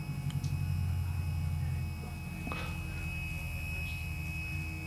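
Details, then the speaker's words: AMH23-258-3 8-wire stepper motor wired in series, about 1.5 A draw: steady low hum sounding good at 20 V, turning to a rough buzz when supply voltage is lowered; stepper noise at low voltage. "now the voltage I'm putting to it is 20 volts and it's running pretty good sounds good uh when I when I lower the voltage on it I don't know if you can hear it what you can"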